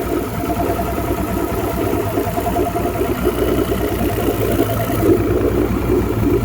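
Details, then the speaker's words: 2009 Mercury Optimax 250 ProXS DFI outboard after replacing torn fuel and air regulators with a new fuel rail: steady even idle at 570 rpm, clunking gone, though temperature climbing to 143 degrees. "Yeah, sounds fantastic. Clunk's gone. I think."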